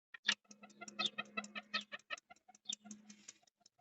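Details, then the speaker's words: 2005 Opel Vectra C, ignition on, recirculation flap actuator behind passenger airbag closing the flap: quiet uneven run of sharp plastic ticks; stripped actuator gear knocks while closing. "sirkülasyon kapağını açıp kapatıyor Evet oh tamam arkadaşlar kapatırken tık tık tık diye vuruyor şu dişli sıyırmış Geçmiş olsun"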